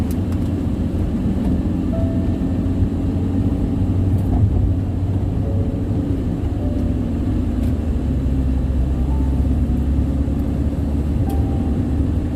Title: Loud tire noise ? #Bandung-Jakarta toll road